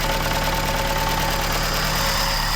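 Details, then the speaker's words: MK1 Ford Escort van petrol engine idling: light, continuous metallic rattle over the even beat; owner suspects the clutch but unsure; idle rattle. "You can't see it, but that clutch fault down here is rattling. But it might not be that."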